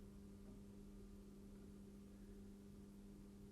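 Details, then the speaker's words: Bachmann Class 08 model diesel shunter crawling slowly in reverse: steady low hum with faint buzzy overtones, a bit noisier than forwards but smooth. An unspecified internal mechanical issue is suspected but seems to cause no running problems. "and in reverse a little bit noisier in Reverse but how is it in terms of smoothness"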